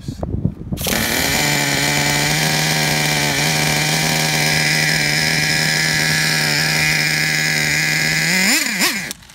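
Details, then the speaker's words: 2009 Traxxas Revo 3.3 nitro RC truck engine: a high buzzing runs steady for several seconds, then the pitch wavers and surges before it cuts out. The engine dies because it ran out of fuel. "She's out of gas. Yeah, you hear that? Yeah, it's out of gas."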